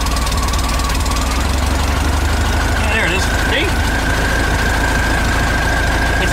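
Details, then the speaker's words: VW Type 3 engine with automatic transaxle, first start after reinstall and new 034 SVDA distributor with Pertronix electronic ignition, ignition timing not yet set, only in the ballpark: uneven stumbling idle, slightly irregular firing. "well let's go ahead and crank it see what happens yeah there it is it's a little stumbly but it's all part"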